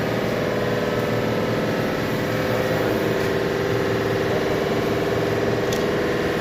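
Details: Petrol engine idling unevenly with random misfire, uneven beat and idle speed rising and falling; attributed to fuel injector and intake issues needing cleaning.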